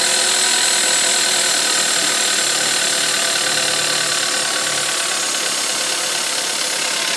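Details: Audi A3 1.4 TFSI, cold start: a fast, hard metallic ticking or knock over a steady cold idle, source not pinned down.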